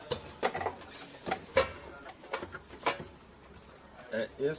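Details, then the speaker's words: Electrolux EAF30 air fryer switched off after long heating: irregular scraping clicks and light rasps as the fan coasts down; overheated element makes the mesh screen flex and rub the fan. "aqui pessoal essa tela quando a resistência superaquece ela fica flexível essa tela e então ela pega na ventoinha tá"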